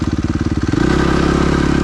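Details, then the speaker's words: Suzuki RMZ 250 with rebuilt Rekluse auto clutch (red springs, high stall speed) to fix stalling, pulling away without using clutch lever: rapid choppy clatter settling into a steadier run. Clutch engagement rattle. "Clutch makes a lot of noise when you're engaging. Kind of a lot of rattle there."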